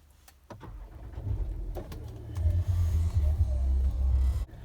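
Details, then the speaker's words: Land Rover Discovery 4, push-button start with foot on brake: a few clicks, then the engine catches and settles into a steady low rumble; clean normal start, no warning lights. "Okay, so I'm just going to start the car up now. So basically it's your foot on a brake and then engine start."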